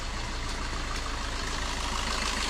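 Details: Suzuki Ertiga common-rail diesel (same engine as the Chevrolet Spin), freshly running after an engine teardown for a cracked camshaft holder in the cylinder head that leaked oil: steady, even idle clatter with no knocks or misses.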